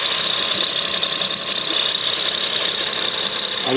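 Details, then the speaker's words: Lexus RX400h hybrid at 164,396 miles, cold start (owner reports the noise only on cold starts). Steady high-pitched squeal at one pitch over a quiet idle; the engine has no belts, source unconfirmed, possibly the AC compressor. "let's go find it because they said it only makes the sound on cold starts and it is cold and I started it"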